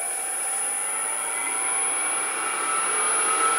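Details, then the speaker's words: Grizzly G0800 wood lathe motor at full speed, 1017 rpm, runs pretty quietly with a smooth steady whine and even hum, no knocks or rattles; normal motor running. "all the way up 1017 rpm and it's pretty quiet you could probably work without any headphones or had ear protection"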